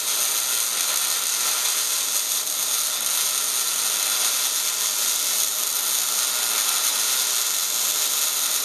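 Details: MIG welding at 16.5 volts, 200 inches per minute wire feed, dragged close with a big nozzle on scaled steel; even crisp frying-bacon crackle with no pops or sputter; normal, well-set MIG arc.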